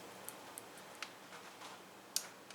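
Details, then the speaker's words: 2005 Lexus GX470 4.7 L with codes P1445 and P1442 (secondary air injection), solenoid back-probed on its red wire with a test light: crisp, light clicks as the vacuum solenoid energizes, switching normally. "now I'm going to back prob my red wire okay and uh actually I can I can touch it right now we should we should hear our solenoid"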